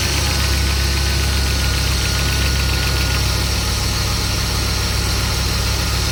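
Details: BMW M50 engine at idle and revving: light quick top-end ticking faintly over heavy low idle rumble, source not identified.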